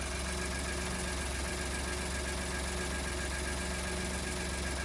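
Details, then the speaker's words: 2015 Ford F150 at idle on first start after exhaust manifold, turbo and cooling line replacement; faint uneven light chatter over the idle, an unfamiliar noise the owner attributes to the new turbo starting up, cause unconfirmed; no leaks found. "No leaks. quite sure what that was all about. Turbo's starting up for the first time, and I didn't know they'd make that noise."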